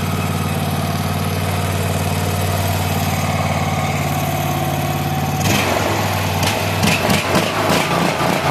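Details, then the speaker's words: Craftsman LT3000 lawn tractor single-cylinder engine (80 psi compression), after an ultrasonic carburetor clean. Steady, even running with a light clatter in the last few seconds. Runs cleanly and healthy. "So, runs great. Uh, sounds good now. Uh, I guess it just had to clear out a little bit."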